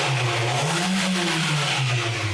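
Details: Nissan Livina 1.8 automatic, 13 years old, nearly 100,000 km, owner suspected a misfire when stopped in gear: engine rises and falls through a quick rev with an even note, no stumble; mechanic says it revs cleanly, normal.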